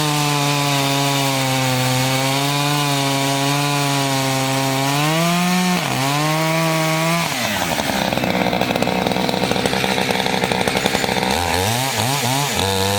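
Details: Chainsaw of roughly 50–60cc (owner unsure, maybe 58), on its second tank and barely broken in, cutting old wood: a strong, high rev dips slightly as the chain bites and recovers cleanly, normal under load.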